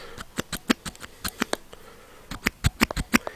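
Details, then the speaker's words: 1948 Ford Prefect E93A AC mechanical fuel pump, overhauled with new-old-stock parts and new lid and bolt seals, off the car and worked by hand: crisp, uneven clicks and soft puffs; sounds healthy. "so that's all back together in tickety-boo and it sounds a lot healthier now there's a proper sort of i don't know if the microphone will pick this up or not"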